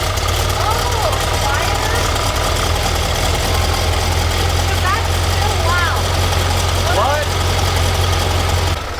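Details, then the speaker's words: Sand rail with a newly installed red engine and a just-fitted muffler, at idle after the muffler install: loud, even low rumble with a steady beat and no knocks or misses; still loud but judged normal running. "That was good. Woo. It's still pretty loud, but I guess that's normal."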